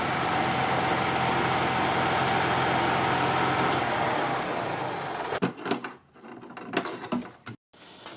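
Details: 2002 EZGO TXT gas golf cart running during a charging-system check, charging over 14 V but under 16 V: steady, even single-cylinder drone for five seconds before cutting off, runs smoothly with nothing abnormal.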